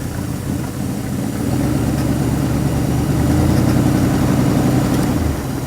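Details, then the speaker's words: Ford Galaxie 289 five-bolt V8 on first start with a rebuilt Autolite 2100 carburetor and an electric fuel pump. Deep, even burble at slightly raised idle, no misses or knocks, pulling 21 inches of vacuum; healthy. "what is that 21 inches of vacuum perfect she's happy to pull it up a little bit"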